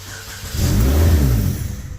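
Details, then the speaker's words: 2012 Chevy Malibu after engine swap, original ECU and ignition not yet swapped to match: engine catches with brief surge, revs sag and it dies within a second, not getting expected air-fuel, won't run. "but it's not getting what it needs so it won't run"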